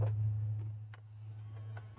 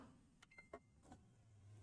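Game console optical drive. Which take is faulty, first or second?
second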